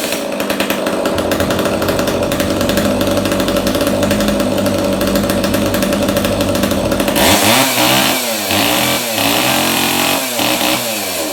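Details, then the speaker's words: Echo 290 EVL chainsaw just after carburetor cleaning, bar and chain refitted (chain worn out, bar poor): high, steady two-stroke scream that rises and falls cleanly with each throttle blip; runs pretty good. "it runs pretty good we're going to get a new chain and a new ball for it the chain is wasted and the bar is not that great"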